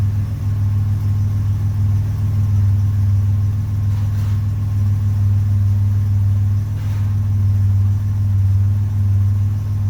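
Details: 1981 Buick Century Wagon with Grand National LC2 turbo V6 and 200-4R transmission, just after swapping in a Vigilante 3000-stall lock-up torque converter: deep, steady V6 rumble at idle, even beat, no knocks, misses or whine; healthy.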